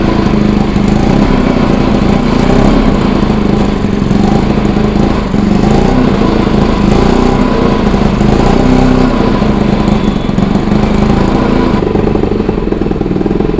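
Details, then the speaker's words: Bajaj Pulsar NS200, idle about 3 months, now running after battery replacement, petrol added and the water-carbonised kill switch cleaned: steady, even single-cylinder putter at a constant pace with no misfires or stumbles; normal idle. "तो दोस्तों bike हमने start कर लिए bike में जो problem हो रही थी वो मैं आपको बता देता हूं"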